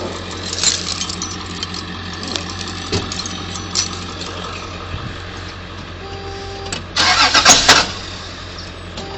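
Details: Toyota T100 cold start after sitting over 7 hours: cranks in two short bursts, then catches into a loud rough-edged run; weird noise every time, cause unknown.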